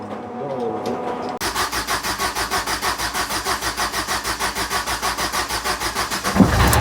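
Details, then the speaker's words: Fiat Doblo diesel van after an engine rebuild for a snapped timing chain and low compression, with a new tensioner and the high-pressure fuel system bled: cranks, catches and settles into an even idle with an open-pipe bark; healthy. "That sounds like it's alive. It's alive. It's alive."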